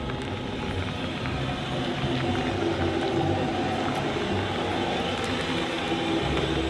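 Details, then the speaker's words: RV trailer after a first-time brake job, creeping along slowly: a steady, low rolling hum with no scraping or squeal, where both wheels had made noises before; wheels and brakes now quiet. "So far, so good. It sounds great. It just sounds like tires turning. Wow, they sound quiet."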